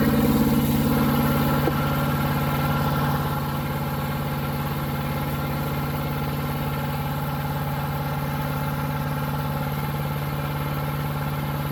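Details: New Harbor Freight Predator 212 chipper shredder engine that only ran on choke, after fix: steady even idle, smooth unbroken beat, no surging or stumbling; running healthy.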